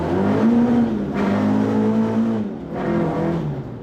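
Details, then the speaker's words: Mk2 Ford Escort after a new pedal box was fitted; the owner suspects the gearbox is worn out. Revved to the redline, then the revs drop sharply and it pulls on in second with no crunch; clean gear change. "So much better. Literally took it to red line, banged it into second really fast, sideways straight away."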